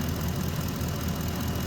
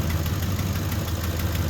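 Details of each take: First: 2010 Ford F-150 5.4 V8, warmed up, both exhaust manifolds previously replaced with stainless bolt kits: even idle rumble with no ticking; ticking only on startup, owner suspects heat expansion of a hidden manifold crack; no manifold ticking when warm. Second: Ford F-150 cold start after an oil change, started in flood mode: faint light ticking over the idle rumble from an exhaust manifold leak. Both sides are still ticking despite two replaced manifolds per side and new torqued stainless bolt kits.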